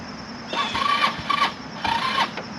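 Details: HammerHead 250cc go-kart, long unused, on a battery only partly charged (about 25–50%) with hard-to-connect side terminals: two roughly one-second starter bursts, never catches, cranking seems weak; weak battery suspected, not confirmed.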